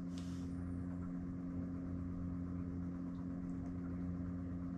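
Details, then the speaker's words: Webasto Thermo Pro 90 diesel water heater on Garcia Exploration 45 sailing yacht: soft steady low hum, faint even drone, no knocks or rattles; heater running smoothly and quietly. "so there we are folks that's the sound of the wabasto when it's going quietly"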